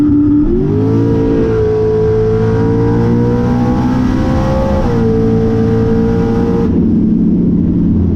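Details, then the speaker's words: Turbo LS-swapped SN95 Mustang with new motor and heads, Holley EFI, Powerglide, drag strip test pass off the brake: engine roar holds while turbo pitch creeps up slowly over several seconds; lazy boost build, problems followed this pass. "not bad it seems a little lazy getting on the chip"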